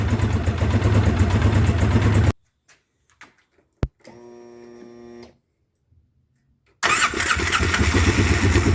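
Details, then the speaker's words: 2009 Polaris Sportsman 800 with fuel injection cleaner in the system: super rough, lumpy idle stumbling about three times a second, with weak mid-range but strong from mid-range to wide open. New spark plugs planned; likely misfiring. "it is running super rough i do have some fuel injection cleaner in the system"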